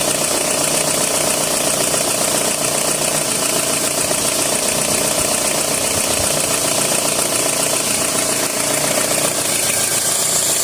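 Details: 2003 Toyota RAV4 at idle: a steady hiss with a quick, uneven rattle throughout; source not identified.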